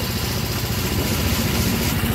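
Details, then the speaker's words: Yamaha Grand Filano fuel-injected scooter during throttle body service, check-engine light on: steady, even low putter that neither hunts nor dies; idle speed set correctly. "Kalau langsamnya kebesaran atau kekecilan, kalau langsamnya kebesaran ini bisa gerung ya. Nih, ini langsamnya udah pas."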